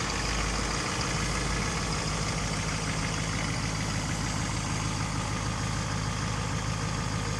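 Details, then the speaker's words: 2010 Duramax diesel truck that sat unused 5 years: smooth, even clatter at slightly raised idle, no misses or knocks; runs good, normal idle going into a warm-up cycle. "So how about that? It looks ugly, but she sure runs good."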